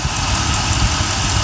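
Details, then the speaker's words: Vehicle after greasing the belt idler pulley: short stretch of low, steady idle rumble with an even beat, no squeal or rattle from the belt side; runs nice and smooth, normal idle. "that's it I'm finished there a nice smooth gravy"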